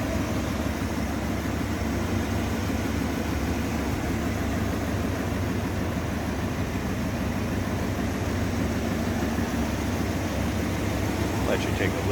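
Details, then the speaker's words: 1964 Ford Thunderbird convertible, 390 V8 with new Edelbrock carburetor, heard under the open hood: low, steady, quiet idle with no knocks, misses or squeals; runs smoothly, healthy. "there's quiet so you can hear how smooth it runs"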